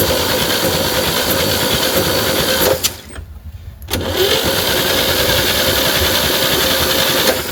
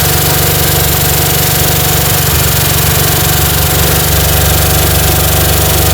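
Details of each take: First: 1960 Chevy C10 with the 235 six, sitting 40 years, cranked via a dummy switch after a starter swap. Steady chugging at about four beats per second; it turns freely but does not fire: normal cranking. A compression test later showed stuck valves. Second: 1960 Chevy C10 235 six after 40 years sitting, in its first running attempts. A rough, loping idle with a regular tick about four times per second; an exhaust valve is suspected to be hanging up, and the valves are to be backed off slightly.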